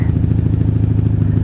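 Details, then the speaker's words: 1997 Honda Magna 750 VF750C V4, rebuilt after a wreck, idling after a fill-up with choke off, first ride of the season: even rapid low burble with steady firing pulses, no knocks or misses; sounds good, healthy idle. "She sounds good and it's a beautiful day."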